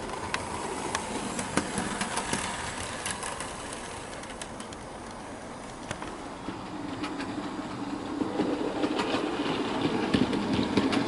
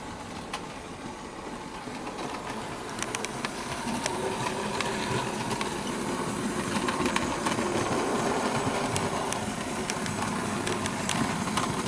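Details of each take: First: Bachmann OO gauge SE&CR C Class 0-6-0 steam locomotive during running-in without tender load: rail-joint clicks and faint chirping squeak repeating with wheel speed from the loco, not tender; owner suspects dry crank points needing lubrication. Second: Bachmann OO gauge SE&CR C Class 0-6-0 steam locomotive, straight from the box: light, even motor whirr with fast track ticking, running smoothly without stutter.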